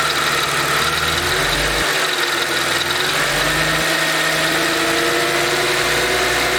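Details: Mercedes SLK 32 AMG idling with a light double-beat "dadum dadum" rattle under a hissy background. Distinct from the quick ticking, it is audible from 40°C, quickens with revs and fades above a certain rpm. Source undetermined.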